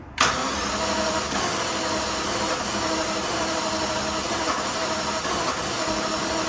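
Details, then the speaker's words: Jaguar XJS, pump primed, throttle set and battery charged: steady cranking churn with no catch or rising revs; cranks but won't start, owner suspects it is out of time; it ran before. "Sounds like she's a little bit out of time or something, but it did run before."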